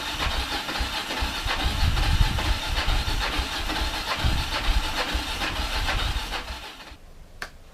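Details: Kawasaki KLF300 Bayou quad from a scrap yard, battery feed needed, fuel poured into the cylinder: ragged, uneven firing for about seven seconds, then stops dead; runs only on the poured-in fuel.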